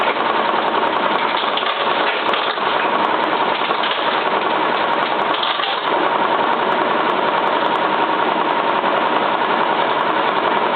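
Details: Cylinda 12002 washing machine on final high spin: loud rough knocking rattle three to four a second, as if something stuck in drum; inspection pocket empty, cause unknown.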